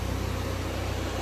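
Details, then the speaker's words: C5 idling after air-conditioning regas with compressor engaged: steady idle with even rushing air from the cooling fans, no rattle or whine, revs settling; fans running normally and AC cold. "oh I can add a compressor that's good that one's slowly coming down the fans are working"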